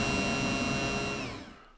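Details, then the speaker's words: Yamaha F-115 Showa tilt/trim unit on the bench, wired to a battery after new seals, caps and tilt piston: the pump motor whines steadily then winds down, spinning freely but moving no rams; owner suspects a worn pump diaphragm. "The only thing it can be at this point is a bad pump. It does have a diaphragm in it, which tends to wear out over time."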